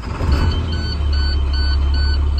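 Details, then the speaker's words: 2012 International PB105 short school bus, International DT466 MaxForce 7.6L turbo diesel, automatic, about 106,000 miles: starts at once and settles into a steady, even diesel idle under a ticking chime; check-engine light goes out after start; normal start and idle. "it starts right up it sounds great no lights on the dash"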